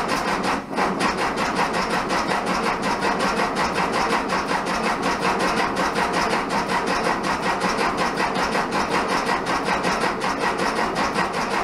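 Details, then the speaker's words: 1967 VW Bug, big-bore 2387cc engine, cold day (~15°F): steady rhythmic cranking with occasional pops, never runs; spark weak. "I flooded it out with too much gas, is my guess. Both of them are still spraying. It's not dumping fuel anywhere."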